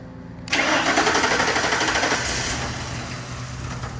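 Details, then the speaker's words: 1966 Ford F100 body on a 2010 Crown Victoria chassis, started by powering the starter relay: the starter whirs briefly, then the engine catches at once and settles into a steady, even idle; it has no security or transponder system. "that's right it's running did you hear that so there is no security system no transponder or anything like that"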